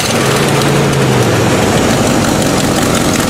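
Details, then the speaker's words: Old Buick V8 ("Bluick") after new distributor cap, having stalled and run on about four cylinders: long cranking after sitting, then loud, even V8 note revving cleanly with no stumbles or misfire; smoke from leaking manifold gasket. "But it's running now. Nice and smooth. Rev it up."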